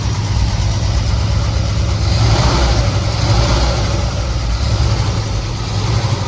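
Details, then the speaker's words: 1969 Chevelle SS big block, sat 37 years: deep V8 idle with an uneven, loping rumble, one cylinder seemingly missing. Pyrometer shows one cylinder coolest. Rough idle misfire, cause unconfirmed. "You can see the motor's not running near as smooth as it should, so we'll be back."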